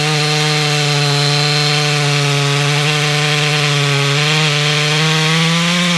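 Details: Stock MS461 with eBay ported muffler, well worn, over a year of cutting; hand round-filed chain used a week, no touch-ups; felling cut in big northeastern red oak, camera a ways back. High steady scream, no chatter or rpm sag: sharp chain under load.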